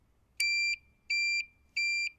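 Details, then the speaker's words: Kuba X Boss motorcycle, ignition on, signalling left then right: three sharp high-pitched beeps about two thirds of a second apart with the blinker; turn signal buzzer working, owner finds it annoying and plans to disable it. "Yani bu ses Gerçekten insanın sinirini bozan bir ses ilerleyen videolar zaten bu sesi keseceğim"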